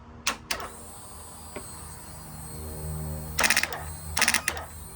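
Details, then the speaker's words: Yamaha R1 that won't start though electrics turn on: a few sharp isolated clicks from the starter relay when the button is pressed, no cranking. Starter relay suspected faulty. "Okay. So, this is the starter relay that is making that noise."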